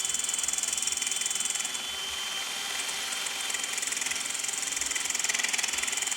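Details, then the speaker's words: Hand-turned custom cast-aluminum boring head slowly lowered into a steel boat tow-rope pipe: steady drill hum with a fast, even chirp about three times a second as the bit shaves metal; clean, normal boring cut. "And then as I turn it, it's slowly lowering the boring head down onto the metal."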